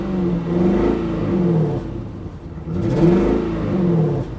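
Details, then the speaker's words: Infiniti FX45, Nissan V8, at a salvage auction, listed as a non-runner but runs; revved up and down twice, the rise uneven and stumbling, a misfire; speaker guesses a coil or tune-up may be needed. "she's definitely got a misfire she's definitely got a misfire but you know a beater with a heater maybe not too bad"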